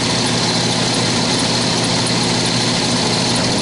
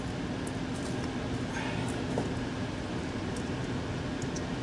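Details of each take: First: HVAC air handling unit blower motor, before replacement: loud rough steady whir with vibration and shaft wobbling from worn bushings/bearings. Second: 15-year-old heat pump air handling unit after fan motor and squirrel cage replacement for a noisy motor: even steady air rush with low hum, no squeal or rattle, blower running correctly.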